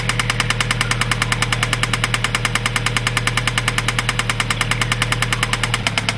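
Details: 2003 Mazda 6 2.3L at idle: sharp, even knocking about nine times a second locked to engine speed over steady idle; knock present, cause undetermined.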